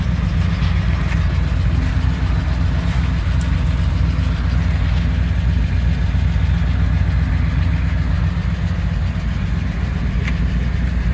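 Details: 1959 Chevrolet Apache 3100 step-side pickup, first run in over 20 years, with a fuel leak: deep steady idle with even low rumble, no knocks or misses; runs smoothly.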